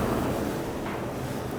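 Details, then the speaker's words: Old gas boiler after bypassing a stuck thermostat by jumping red to common; steady soft rushing roar, no pops or flutter, burner lit and firing evenly; the faulty thermostat connection suspected of causing clicking; normal burner operation. "it's running it's on see it's pulled out oh Out means it's on yep can hear it running yeah she's warm she's running the thermostat's back unbelievable"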